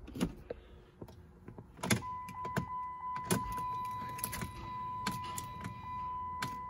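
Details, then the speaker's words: 2005 Chrysler 300 3.5 towed in with a no-crank, just-click fault; battery slightly dead and on a charger, a jump already tried, in park. Only key and switch clicks and a steady warning chime, no starter whir or cranking: no-crank condition. "let's replicate the fault they say it won't start so and it doesn't start nothing it's in park let's try"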